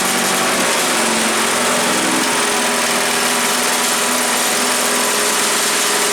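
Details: Earthquake chipper/shredder, small single-cylinder petrol engine, first start, choke on with a little throttle: steady, even buzz with no misses or knocks; runs pretty good.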